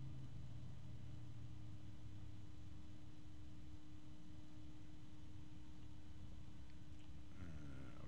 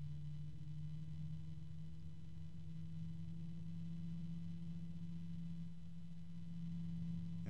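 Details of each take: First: One fan left running after the other is switched off, ASUS ROG Strix XF120 PWM and Noctua both rated at 22-point-something dBA: single clear steady hum with soft air rush, no rattle or ticking, normal running. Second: ASUS ROG Strix XF120 PWM fan ramping toward max RPM: steady low drone with a faint scraping edge, climbing in pitch as speed rises; sounds like something rubbing, cause suspected, not confirmed.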